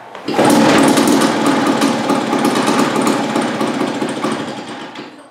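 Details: 1950s two-stroke lawn mower, apparently made by Wheel Horse (Dunlap name, horse head on the engine), on its first start after hanging on a wall for 10 years. Rough, uneven popping that fires irregularly and fades out; catching but sputtering, not yet running on its own.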